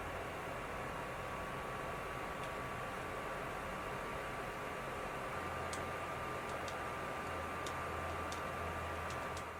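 A steady, loud rushing whoosh with a faint high whistle holds constant throughout; the console's cooling fan is running hard under load.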